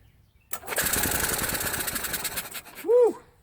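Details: Yamaha utility cart with a crank no-start, after confirming fuel and spark: engine catches at once and runs with quick, even firing for about two seconds; now running properly.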